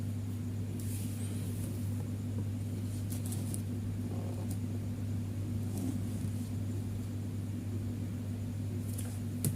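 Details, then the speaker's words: Fridge compressor GFF57AA (1/6 HP plus or 1/5 HP) with a 1/5 HP overload, replugged for a trip test: a heavy steady hum continues past 1 minute without cutting out, though it should trip within about 20–44 s; risks burning out the compressor. "Satu menit sudah ya, 1 menit, tidak ada tanda-tanda. Ini kalau dibiarkan kompresor bisa jebol ini ya."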